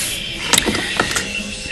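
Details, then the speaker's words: 1998 Audi A4 1.8T AEB with low boost and no codes, wastegate actuator bench-tested with about 20 psi compressor air: sharp clicks and air hiss as lever strokes; diaphragm spring works, unsure if flapper moves. Clogged catalytic converter suspected. "I'm hoping that's the sound of the flapper opening and closing but I can't can't really be sure this way"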